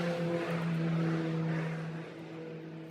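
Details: 2006 Buick Rendezvous 3.5 with intermittent no-start: old fuel pump run by jumping relay pins 30 to 87 to drain the tank into a can; steady low hum with faint whine as fuel flows.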